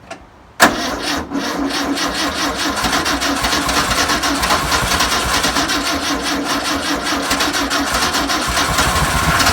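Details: 1962 VW Type 2 bus flat-four, first start after over 40 years, with spark, new belt, cleaned points and fuel poured in: near silence, then it catches sharply and settles into a busy, slightly lumpy, steady idle; engine starting and running.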